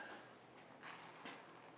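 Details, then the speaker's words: 1967 Starcraft Holiday with MerCruiser 120hp sterndrive, outdrive disassembled: old bearing spun by hand next to the mic gives a quiet gritty ratcheting rasp of a worn rough bearing; replaced with new. "can you guys hear that? I got it next to my mic. That's the bearing that sits right here when you assemble this."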